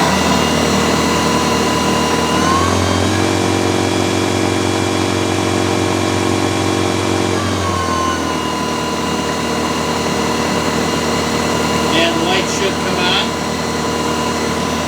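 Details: New Snow Joe iON100V-21SB 100-volt 5-Ah brushless cordless 21-inch single-stage snowblower, started with the push-then-pull handle: a smooth, steady electric whirr holds one pitch, then winds down at shutoff. The motor runs cleanly.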